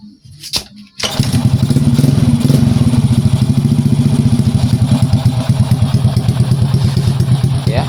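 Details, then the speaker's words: Old Honda Prima scooter that was hard to start because of a weak CDI, after the fix: it starts after a short crank and settles into a steady, even fast idle with no misses; running properly. "ini motor udah hidup."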